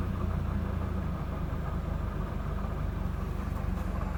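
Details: Peugeot 206 2.0 16v engine at idle: light, fairly steady tick about four per second over a low idle hum; owner wonders whether it is a manifold leak, cause not confirmed.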